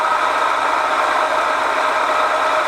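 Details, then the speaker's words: ZJ4110 8-inch drill press after cleanup and bearing reinstall: steady whir with rough rattly edge, louder than before; spindle binding, center rod banging up. Cause suspected, not confirmed. "for some reason that rod that goes up in the center here is banging up so we'll be back when we're ready to put this back together"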